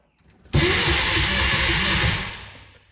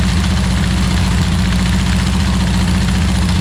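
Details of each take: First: 1962 Berry Mini T kit car, VW engine, stored since 2018: starter churns about two seconds in steady rhythmic chug, never catches; crank no start. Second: 1962 Berry Mini T dune buggy, air-cooled VW engine, first run after five years stored, with the distributor 180° out: steady, even deep idle, then shutdown. Runs normally.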